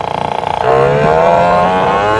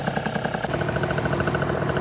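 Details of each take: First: Vento Triton R4 motorcycle, airbox filter off, larger main jet fitted: at full throttle revs climb briefly then hang flat and muffled, very boggy with no pull; far too rich, plug sooty black. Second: Vento Triton R4 two-stroke after carb re-tuning with a 104 jet and the intake splash guard removed, ridden at full and half throttle, temperature 187. Steady, crisp, even pulses with no stumbling; running clean and healthy.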